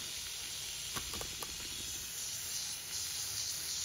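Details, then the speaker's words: Lochinvar FTXL 400 boiler after inlet water sensor replacement, valves reopened; steady airy hiss with faint spits as the Caleffi air separator purges air introduced during the repair. "that's air coming out this is an awesome component it's by cafy"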